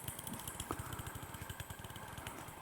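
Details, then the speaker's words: P2 Cock O' North model locomotive motor, removed and held in hand while running: rapid uneven sharp ticking and banging; the motor itself is faulty, not the gear meshing. "now holding the motor and that is banging away between my thumb and finger can you hear it I suppose you can that's horrible that is definitely the motor though definitely"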